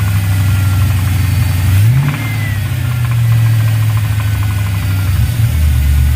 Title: Ls Knocking noise